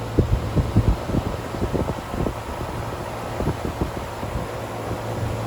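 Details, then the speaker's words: Air handler fan motor at a friend's house after replacement, running normally: even low whoosh and hum, no scraping, rattling or squeal; cool air expected for the next 7 years. "It seems to be happy. He should have cool air for the next 7 years."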